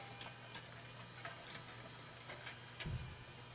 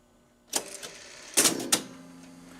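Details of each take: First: Rock-Ola 424 jukebox record changer in scan mode: steady clicking roughly every third of a second under a low hum; magazine scanning too slowly, faulty home switch to blame. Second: Rock-Ola 424 jukebox changer after home switch fix: sharp clicks and clunks as the mechanism selects, magazine turns, gripper arm transfers record, then smooth low motor hum; working properly.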